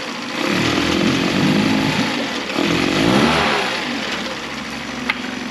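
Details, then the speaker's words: 2011 Mercury 9.9 four-stroke long shaft, pull start, after a full service (carb kit, water pump, plugs, fuel filter, oil): started first pull, even buzzing run with gentle blips, no misses, pumping water well. "so they had to start on the first pool and pumping water perfectly"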